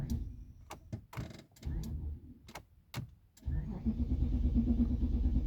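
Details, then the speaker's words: 2010 Nissan Patrol petrol: a few clicks, then steady even cranking that never catches. Crank-no-start with no fault codes stored, cause not yet confirmed. "देख रहे हैं आप गाड़ी start नहीं हो रही सर्फ ले रही है लेकिन गाड़ी स्टार्ट नहीं हो रही"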